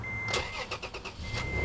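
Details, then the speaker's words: Toyota Tacoma TRD 4.0 after a jump start from a Subaru Outback, with dash chimes sounding. A short crank catches at once and settles into an even low idle. Normal engine start. "the the tacoma started right up because this battery is a pretty good battery it's not that old"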